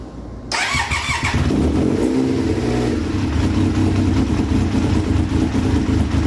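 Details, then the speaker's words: 1999 Triumph Daytona 955i, parked for years: busy idle with a light clacky rattle over the engine note; owner suspects idle air control valve not working, possibly an unplugged connector, not confirmed. "okay so it seems like that the um idle air control is not working or something sounds a little clacky hear that"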